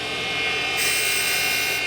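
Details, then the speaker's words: Valve seat grinding on a 1993 Harley FXR 80ci top end: high hissing grind with fast rattling chatter because the grinding wheel is dull; it is then squared up again before regrinding. "yeah so you can hear the real chattering of the grinders because the wheel's"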